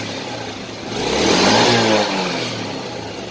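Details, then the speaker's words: Yamaha Vega Force that was hard to start and using a lot of fuel, after replacing leaking valve stem seals restored compression; first start without kick-priming, light throttle blips, small single revs up smoothly and settles back without misses or knocks, running normally again. "nah oke teman-teman setelah dicoba untuk menghidupkan tadi Itu motornya sudah normal lagi"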